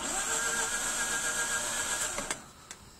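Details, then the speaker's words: Mazda RX-8 rotary that won't start when hot; jump tried, plenty of fuel: the starter cranks at a steady whirring pace for a couple of seconds but never fires; owner suspects plugs or coils, not confirmed; crank no start. "that's what it does. I don't know, maybe it's my plugs, or maybe it's my coils, or I don't know, I'm not sure"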